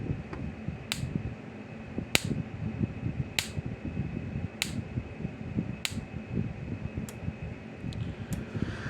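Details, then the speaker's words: Power Wizard fence charger, repaired and upgraded from a 10 to a 20 microfarad capacitor, putting out a little over 6,000 volts at about 3–4 joules: crisp spark jumping to a screwdriver about every 1.2 seconds; normal, strong output. "and we'll put a screwdriver across here come on there you go and I'm sorry the sparking jumps"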